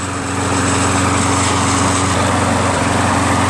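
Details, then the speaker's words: Toro Recycler 20068 22" personal-pace mower with Briggs auto-choke (no primer bulb) engine and replacement carburetor, transmission broken: steady, even single-cylinder hum without surging or misses, smoke from oil in muffler clearing; engine runs smooth, normal running. "I'm going to let it run for a little bit see if the Smoke Clears up and then I guess I'll look underneath and uh see if I can check out the transmission situation but the engine runs smooth"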